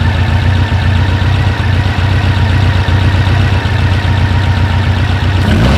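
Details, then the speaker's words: 1956 oval-window VW Beetle with Weber 44 IDF carbs, idle mixture being set by ear without a wideband: loud, low air-cooled idle with an uneven, lumpy beat that falters near the end, a lean stumble from too little idle fuel. "so I don't know if you guys could hear it or not but the engine will start to fall off a little bit or start to stumble when you've cut off too much of the fuel or you got that fuel-air mix just stop right"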